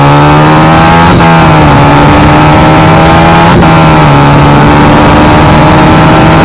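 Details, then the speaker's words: Supercharged 1968 Honda CL175 land speed bike at the drag strip on boost raised to 8.5 psi: engine pitch flares and hangs at each gear change instead of dropping cleanly, showing the clutch slipping between gears; later swapped for a performance clutch. "but you can hear in that last clip the clutch started slipping between gears"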